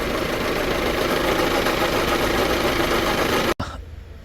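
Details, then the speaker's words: Hyundai Santa Fe CM diesel idling, grinding noise at start-up; after alternator and A/C compressor checks, steady rough whirring grind traced to power steering pump below alternator, which has play. "이것 은 파워 스티어링 펌프 입니다 . 파워 스티어링 펌프 문제 입니다 ."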